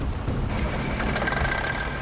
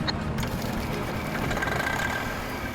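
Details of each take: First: Semi truck frozen in after sitting in snow, first start attempt: rough diesel clatter with a thin steady whine creeping in, smoke and clutch smell; something froze up and binding, shut down fast. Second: Pickup truck recovered after crashing into creek, engine restarted after checking for intake debris: steady, even diesel rumble with no knocks or rattles; normal running while oil pressure and clutch travel are checked.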